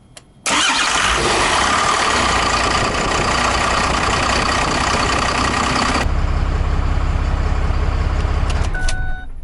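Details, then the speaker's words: 2008 Ford F250 (originally 6.4) swapped to a 5.9 12-valve Cummins, first start in the truck with intercooler piping and intake not finished: brief crank, instant catch, then a steady, even, healthy diesel idle. "That is the first time I've heard this truck run."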